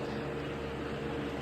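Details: Lasko Cool Colors box fan with smaller capacitor motor, running on high: steady even whoosh and constant hum, no rattle or ticking; normal.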